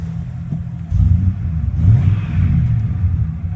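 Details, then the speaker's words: 1996 Ford F-150 that had died at idle and would only crank without starting, now running after a new distributor (bad pickup coil) and new spark plugs: two clean throttle blips from an even idle, no miss; runs healthy. "all it would do before is crank and not [Music] start Run's perfectly fine now"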